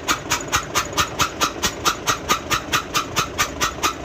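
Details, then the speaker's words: Nissan truck FE6 diesel with severe blow-by (back compression) from the crankcase: a steady hissing chuff about twice a second, attributed in the clip to a worn piston; mechanic suspects overheating as a cause. "माशाल्लाह आप देख सकते हैं इसका back compressor बिल्कुल खत्म होगा बिल्कुल खत्म हो गया था"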